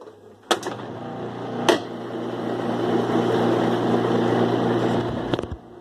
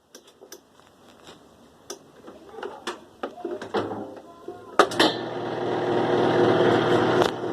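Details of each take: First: 2005 Kenmore 70 Series direct-drive washer after drain pump replaced/cleaned to cure strange noise during wash and spin: steady even hum through high spin, a few isolated clicks, no grinding or rattle; pump running normally, owner still suspects a coupler noise. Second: 2005 Kenmore 70 Series direct-drive washer, reassembled after water pump work, on spin: scattered clicks then a loud rushing whir with rattle as the drum spins up; owner suspects the coupler, cause unconfirmed.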